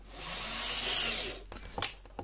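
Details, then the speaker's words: Cleaned Lima Class 55 Deltic model locomotive, no stay-alive, only three front axles powered, running fast past the microphone. A smooth high-pitched whir builds and fades with no stalling, then handling clicks; normal running. "Is it going to struggle? Yeah, probably, because there's only three axles actually getting power and they're all on the front. It's fast, but it hasn't stopped"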